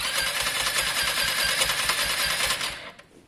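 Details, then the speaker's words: Lexmoto Diablo 125cc moped warming up to circulate oil: rapid single-cylinder putter with a sharp pop spitting back through the intake before dying. The owner suspects someone tampered with the valves, possibly fouling. "there was a weird backspit there here's my concern someone's had that cap off and messed with the valves that's my concern a backspin like that could be valves"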